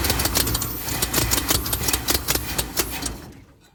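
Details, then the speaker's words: 1976 Ford F250 crew cab parked almost 17 years, battery charged, hoping fuel pump picks up; after briefly running, steady cranking about three to four beats a second for three seconds without catching; owner suspects flooding from too much gas; cranks, no start. "a little bit more gas I think I just drowned it let's try again"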